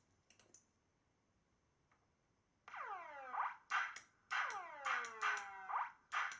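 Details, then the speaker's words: Italian Model Racing Supershot arcade board after replacing a too-short fuse in the transformer secondary fuse holder: falling synth sweeps and boing tones about twice a second, clean and undistorted; sound works again, though the beer-glass effect is still missing. "Well, we definitely have sounds now."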